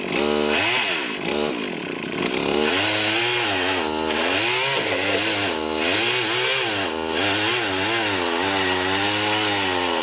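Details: Rebuilt Husqvarna 51 chainsaw cutting a tree: crisp two-stroke howl dips slightly as it bites, then recovers quickly with clean revs; strong and healthy, owner unsure the bar oiler delivers enough oil.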